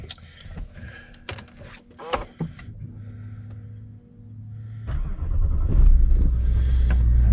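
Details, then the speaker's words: Range Rover L405 cold start on a frosty Scottish morning after sitting a day or two, possibly with a low battery; it cranks, catches cleanly and settles to a steady low idle. Normal start. "we go car started fine all working low fuel level"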